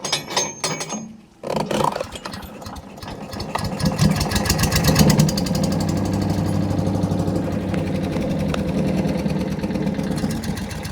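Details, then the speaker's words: Wood chipper engine started after welding a broken ear and bolting the fuel tank tight to reduce rattle; cranks briefly, catches, and settles into a steady, even putter with no knocks or misses. Normal start and idle. "Let's hear it run. Hopefully it'll rattle a lot less now that that tank's bolted on tight."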